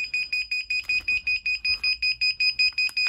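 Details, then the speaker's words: Indesit Moon washing machine refitted with a universal SXY3388 controller board, cold-only fill, door left open: a rapid run of about fourteen evenly spaced high shrill beeps as the controller flags a door switch error. "there's a door switch error."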